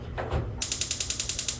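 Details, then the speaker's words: 2022 Forest River Salem FSX 280RT stove burner, no propane connected: short handling noise, then a crisp, fast train of about ten sharp clicks a second while pressing and turning the knob; spark igniter snapping normally. "and then obviously you'll turn and then it will ignite. Same goes for all 3."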